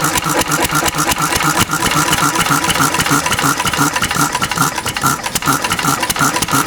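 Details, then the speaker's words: Cushman Cub 3 hp four-stroke single-cylinder governed stationary engine running on about 90% Zippo lighter fluid: slow uneven chuffing with stumbling, black smoke and backfire; running rich, fuel needs leaner setting than gasoline. "this ni big black smoke P backfire more black smoke this stuff is thinner so it definitely needs less of this than gasoline"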